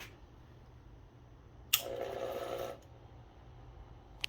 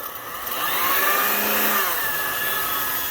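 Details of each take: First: Lyman power feed on Bridgeport milling machine, speed dial turned to low end: soft steady hum about a second then stops; motor energised but table does not move, arcing at low end. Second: Lyman power feed, brushed DC motor with potentiometer speed control, on a Bridgeport milling machine: smooth motor whine climbs in pitch as speed is turned up, then holds even; running normally.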